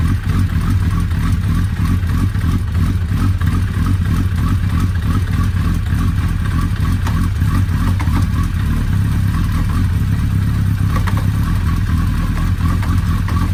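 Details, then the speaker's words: Suzuki Hayabusa after repair of a loose clutch pressure-plate screw that freed a spring, on first start after reassembly: steady, even engine note with a smooth low drone, no knocks or clatter, and no leaks. Normal running. "tout s'est bien passé le remontage nickel il n'y a pas de fuite tous répondent correctement donc on peut dire que c'est réparé"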